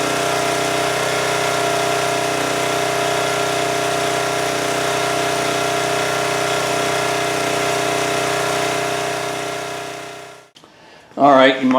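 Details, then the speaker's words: 2002 Coleman Powermate 5500 generator after carburetor cleaning: steady, high-pitched busy drone at constant speed, then shuts off; outlets read about 135 V, owner suspects engine running too fast, governor spring nut possibly tampered. "I'm afraid I feel like the engine's running a little too fast cuz we were getting like 135 out of those"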